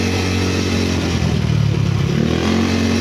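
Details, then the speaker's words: Yamaha Mio scooter (liquid-cooled, 4-valve, owner says 232cc) after a full reset/refresh, exhaust's missing screw replaced: steady low engine drone with a slight rise in revs and no rattle or knocking. No smoke and no noise now; running normally. "Yun. Ayos na, wala na rin usok. Wala rin yung ingay."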